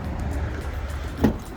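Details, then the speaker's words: 2nd-gen Acura MDX (2007-2013), engine running, after replacing driver door sub-harness: single firm clunk of the lock actuator plus lock beep not heard in a while; power locks now working normally. "let's lock it it's locked see I can hear the beep wow I haven't heard this beeping in a while"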